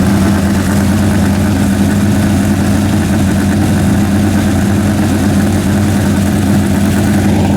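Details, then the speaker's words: Freshly rebuilt 406 small-block V8, new pushrods, primed, running 15-minute break-in at about 5 minutes in: loud but even steady rumble at fast idle, no knocks or misses; healthy, may need a bigger carburetor. "Well, it's breaking in right now. We're going to run it for about 15 minutes. It's already been 5 minutes, 15 seconds, so Yeah, it's really loud, man."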